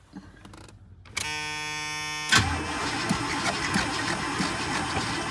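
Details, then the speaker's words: Old hot rod, sat a while, on jump box with starting fluid; strong, even cranking for several seconds, never catches. Has fuel; fuel lines keep shrinking and pinching off. "Come on, old girl. Well, you've got fuel in you. Why won't you start?"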